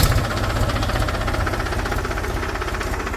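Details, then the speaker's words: New tractor with a new battery and a stuck clutch plate, cranked with a gear engaged. Slow, heavy chug of the starter dragging the diesel under heavy load, not catching on the first try; labored cranking. "तो अब मैं इसको start करके देखता हूं अभ देखना अभी एक ब में नहीं हो रहा है क्योंकि बहुत लो लोड हो रहा"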